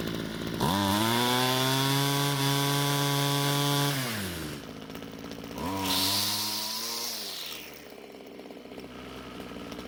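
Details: Ryobi string trimmer after L screw turned counterclockwise and idle raised: revs up cleanly, holds strong steady high speed, drops to settled idle and picks up crisply; runs properly.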